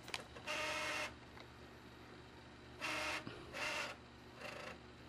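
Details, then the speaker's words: Xbox 360 Elite DVD drive after the fix: the missing spindle washer piece was refitted, which had caused grinding and unplayable discs. Short whirring bursts and a steady whine as the disc spins and seeks, with no grinding and an acceptable sound. "Now there's a sound which I can deal with."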